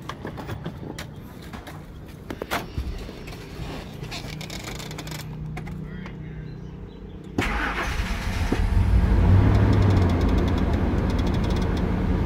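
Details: Ford Expedition after replacing a leaking fuel pressure regulator and the spark plugs: several seconds of cranking, then it fires cleanly and revs smoothly without stumbling; normal start, previously hard start, rough idle, black smoke.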